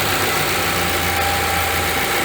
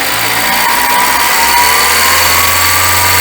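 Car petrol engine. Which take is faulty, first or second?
second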